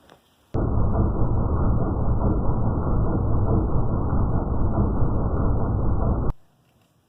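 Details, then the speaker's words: 2001 24-valve Cummins truck after replacing a failed tension pulley bearing and pressing the fan pulley back out to its position: steady even diesel rumble, no squeal or chirp. "everything works now no more squeaky bearing everything seems to run just fine"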